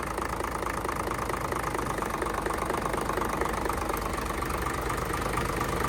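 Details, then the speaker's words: Hino J08C truck, inline-pump 210 hp diesel, parked unused two years, started easily; steady diesel clatter at idle, even rhythm, no misses or heavy knocks; engine judged still good. "[ปรบมือ]เครื่องโอเคนะครับเครื่องยังดีอยู่"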